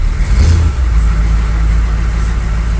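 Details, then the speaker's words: Army truck on 37-inch Humvee tires with about 4-inch lift, given a little gas: deep low rumble swells as the idle changes, then drops back to a steady, even idle; normal idle. "I give it a little gas for that. You're going to hear the idle change."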